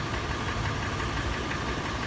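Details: Toyota FJ after warm start, idling: sharp metallic tapping over steady idle, faster in park and neutral, slower under load in drive; early clatter turned into slower, louder, sharper knock; also rattles on slow acceleration and decelerating from 1800 rpm. Cause unknown.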